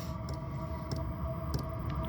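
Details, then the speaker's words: Chinese diesel heater mounted in a tool box, running on low: soft fuel-pump clicks about every 0.6 seconds over a steady fan hum; running well, staying cool, pump frequency sets heat output. "so it's on low now it's running really good everything's staying cool in here"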